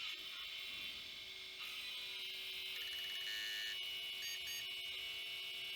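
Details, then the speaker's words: Failed vintage hard drive, opened, with a damaged platter: high thin buzz with faint ticks about three a second as it keeps retrying reads; owner suspects head damage from the platter and erratic position feedback as the head pushes toward the platter edge. "now the head is unable to read and that's what the drive is trying to do is trying to read something he trying to get something back from the hits like the other hard drive it doesn't get anything and it keeps trying keeps trying keeps"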